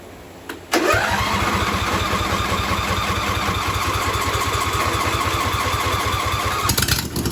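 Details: John Deere V-twin mud mower after the carburetor fuel solenoid was wired to the key switch, with no fuel poured in: catches almost instantly on cranking and settles into a steady, even fast idle with no misses. Starts and runs normally.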